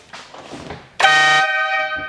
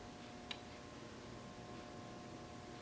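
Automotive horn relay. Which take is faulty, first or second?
second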